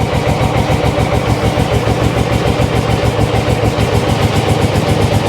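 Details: Cold carburetted motorcycle, choke coming off: fast uneven putter at low revs, wavering and sagging near stalling; won't take revs or run without choke yet, left to warm up.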